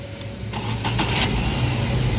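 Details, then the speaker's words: Car that had sat 3–4 days not starting; the scanner and wiring checks found the fault was only a bad battery. With the replacement battery it gives a short crank, then catches cleanly and settles into an even steady idle: a normal start. "हमारा battery का टोचन की है गाड़ी मारी start हो गई है"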